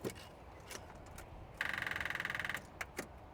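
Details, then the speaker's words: 2007 Ford Ranger that sat about six months, battery flat: a rapid chatter of clicks, about twenty a second for roughly a second, with no cranking as the starter only clicks before a jump start. "Yeah, you can hear the clicking."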